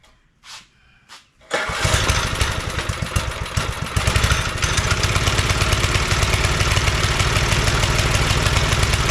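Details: John Deere tiller recovered from tall grass, after governor and idle screw adjustments: fires after a couple of pulls and settles into a quick, steady beat that holds with throttle open; belt thought too tight; normal running.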